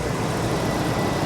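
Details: Ex-police RAM 2500 HD truck, 142,000 miles, check engine light on, water pump recently replaced, possible manifold leak noted: steady even engine drone with no ticking, knocking or squeal; normal idle.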